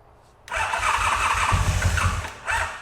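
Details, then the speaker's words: Motorcycle sold as ex-fastest in the world, first start attempt after oil change, battery reading 12–14 V, ignition on, using choke: starter grinds the engine over in uneven bursts for about two seconds, never catches; cranks but won't start. "Let's see what happens when we push the starter button. Yes. Okay. Come on, buddy. Choke."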